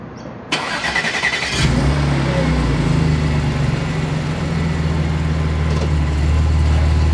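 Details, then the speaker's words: Audi S4/S5/SQ5 3.0T with catless downpipes (later removed): engine starts and settles into a deep booming low exhaust drone with a raspy edge. "Okay, if you could hear how bad that was, you already know why I had to remove those downpipes."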